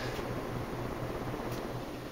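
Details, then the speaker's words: 1984 Four Seasons Seville 36-inch ceiling fan, restored, running on a new 3-speed wall control: low, steady motor hum under a soft rush of air at high speed. "my fan like somebody said I don't know if you can hear the humming from the"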